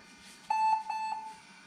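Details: 20-year-old IBM ThinkPad R40 type 2722 after hard disk and BIOS battery replacement: one clear high steady beep under a second long in a quiet room; normal power-on beep, laptop boots fine.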